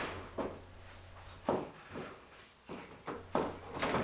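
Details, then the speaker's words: Door on a 1933 hot rod during install, checking latch function and door fit: several sharp clicks as the door shuts, the double click showing the latch is fully engaged; if not, the striker may need adjusting outward. "Make sure that when the latch engages, you'll hear 2 clicks to make sure it's fully engaged."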